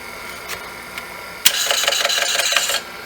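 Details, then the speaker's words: IBM PC AT 5170 with battery-leak damage, booting for diagnostics: two lone ticks, then about a second of harsh, rapid chattering scrape from the hard drive; abnormal hard drive noise, not seeking normally. "yikes that did not sound good"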